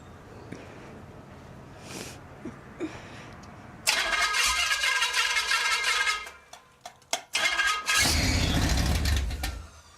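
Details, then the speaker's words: Newly built Pontiac 400 for a 1979 Trans Am on a stand during cam break-in, in very cold weather: engine catches, runs ragged, sputters out, catches briefly and dies; a carburetor problem is suspected, not confirmed. "I think we have a carburetor problem, because it wants to run, doesn't it? It really wants to run."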